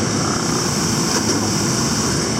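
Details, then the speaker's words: Hesston 4910 square baler after correcting stuffer/plunger timing issue: steady, even mechanical drone with no knocks or missed strokes; baler feeding and running normally. "And that is to give it more room to get to the top of the bale chamber. And that was told to me by several different Heston 4910 But not this time. Working good."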